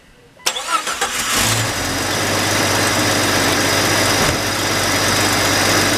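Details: Jeep XJ after cleaning the throttle body and idle air control valve to cure stalling: short crank, then it catches and settles into a smooth, steady idle with no hunting or stalling; fix worked.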